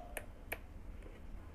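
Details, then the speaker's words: Coffee maker that won't heat: two crisp relay clicks, on then off, with a lamp substituting for the heating element; board sends voltage normally, fault is the heating element. "então vou ligar escuta o barulhinho ó ligou e a lâmpada desligando"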